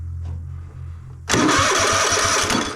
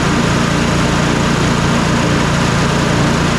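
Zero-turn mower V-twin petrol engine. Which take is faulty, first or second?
first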